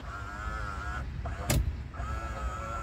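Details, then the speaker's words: 2017 Isuzu Panther LS Turbo, 130,000 km: power mirror moving left, right, up and down in short bursts of a steady thin electric whine that stops and restarts with each direction change; the mirror motor works normally. "ya kanan kiri gerak ini atas gerak bawah juga gerak ya oke mirrornya gerak semua"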